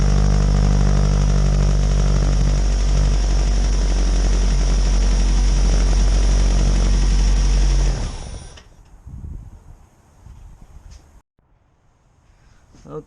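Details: 2007 Ford Focus after replacing the starter, which had been clicking with no start: steady, even running with a strong low drone and no clicking or stumbling, then a clean shutoff. Sounds healthy.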